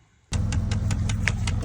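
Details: 2015 Dodge Challenger, passenger-side dash with the panel removed: sharp, even ticks about five times a second over a low idle hum, felt by hand on the failing HVAC blend door actuator.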